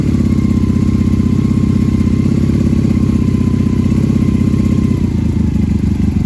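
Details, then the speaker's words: Honda Magna motorcycle, not run for a while, started on choke and idling to work gas through: steady, even idle with a smooth low thrum holding its pace; normal idle. "This needs to run a little bit just to work some gas through her. Sounds good as always."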